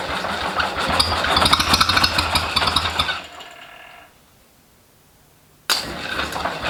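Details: First start of a rebuilt International Harvester Cub Lo-boy C60 engine after priming the oil pump, with timing and carb not yet dialled in. It lights right off and runs with quick, even firing, smoking from assembly lube. An oil pump gasket issue was found afterwards.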